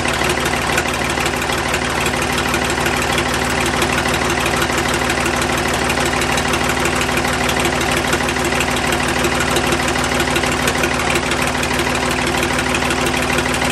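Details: Ford 555 backhoe 3-cylinder diesel idling after valve lash adjustment, exhaust off so raw exhaust is blowing; loud steady idle with an even beat and no valve train ticking, healthy after the fix.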